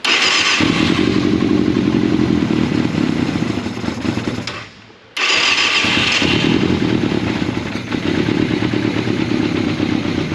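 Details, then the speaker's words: 1989 Yamaha FZR600 Genesis, not started in over four years, new battery, fuel pump silent and not priming: fires and runs raggedly, drops out near five seconds, catches and struggles; runs briefly then dies, not running on its own fuel. "all right so we've basically got it running but it's just not running on its own fuel for some reason"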